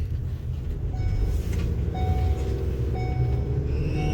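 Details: Ford Transit EcoBoost while driving and accelerating: faint high chirps about once a second over engine rumble that fade as it warms up, from an exhaust manifold leak at a broken stud, often mistaken for a squeaking belt.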